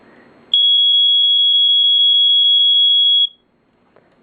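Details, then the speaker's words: First Alert SA120 EscapeLight smoke alarm, cover not fully snapped on, test button: shrill high beep pulsing rapidly, about seven per second, very short off time, under three seconds then stops; normal test tone. "the pulsing it pulses I don't know how well you can hear it does pulse but the off time is very very short like even shorter than the sa80 FC"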